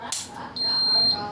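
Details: About 10-year-old Electromax 9000 BTU air conditioner, reinstalled after power-fault repair (display used to fade and shut off): single clean half-second beep at switch-on, power light stays lit; normal power-on.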